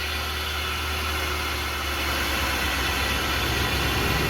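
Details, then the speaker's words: 1999 Chevrolet Suburban 4x4 three-quarter ton, 454 engine, running again after a no-start fixed with new spark plugs, distributor cap and rotor: smooth, even idle with a steady low drone, no misses, stumbles or knocks; normal idle. "i bet you're happy to hear that sucker running again aren't you"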